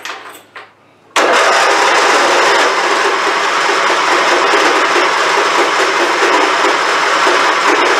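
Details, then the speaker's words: Abused, long-unmaintained Craftsman YT4000 hydrostatic riding mower, hood off: engine cranks continuously for about seven seconds without catching, every time. No fuel reaches the filter; hard starting from a dirty carburetor idle jet starving it. "And it does this every time, by the way. So there you go. It's not even trying to crank this out."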